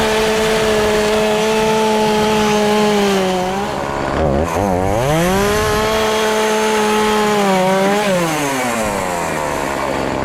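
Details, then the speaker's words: Homelite chainsaw after sitting four years, repaired with new carburetor and fuel lines and tuned: high buzzing two-stroke holds full throttle cutting a pallet, dips cleanly into each cut and recovers crisply; normal running under load. "i got the power saw chainsaw all fixed up now i'm gonna do a little test run and truthfully i don't really have many trees on my property so i'm gonna cut this whole this little old pallet up and see what we got"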